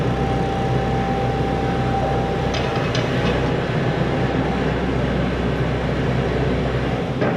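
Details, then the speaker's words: Volvo 140 excavator diesel after injector/filter work, tracking out of the garage: steady deep drone, even rumble, no knocks or misses, no warning lights; running healthy. "Everything seems to be running good. No warning lights."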